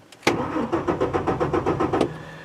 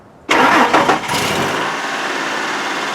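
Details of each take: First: 2003 Ford F-150 4.2L V6 on a cold December day, intermittent crank-no-start: starter cranks evenly at about six pulses a second, never fires; fuel pump whines abnormally; fuel pump replaced. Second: 2003 Ford F-150 4.2L V6 with intermittent crank-no-start, after installing a new Delphi FE0479 fuel pump and reconnecting the battery: brief crank, catches and settles to an even idle with a small rev bump; starts cleanly, no leaks.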